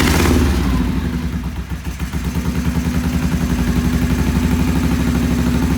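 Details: Vintage British twin motorcycle with Monobloc carburettors, first start on choke-off after timing set with a strobe and idle raised: lumpy, uneven idle around three beats a second, hunting slightly; it idled poorly, pilot jets then cleaned.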